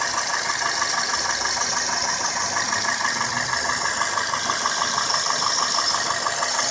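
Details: 2002 Toyota Corolla S, 1ZZ-FE petrol engine, idling with a light, steady ticking of about three clicks per second; cause unknown.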